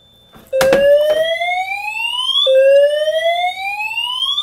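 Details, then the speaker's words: Simplex 4010 panel with multi-tone horns, reactivated pull station: loud rising sweeps about two seconds each with abrupt restarts, horns doing a double-skip catch-up after the panel lags or misses a signal; timing off, cause unknown, only happens with these horns. "and then the horns will then do like a double skip catch-up and I don't know why that happens and it's only it's only ever happened with these"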